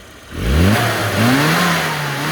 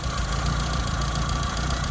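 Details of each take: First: Classic Mini after fixing the carburettor piston jamming in the bell chamber: engine picks up cleanly from idle, pitch climbs smoothly, dips and rises, settles back; revs freely with no stumble. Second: Car, not fully warm: lumpy low idle with an uneven beat and the odd stumble; misfire, with wrong resistor BP6 spark plugs fitted, a rich mixture and the points gap possibly too small.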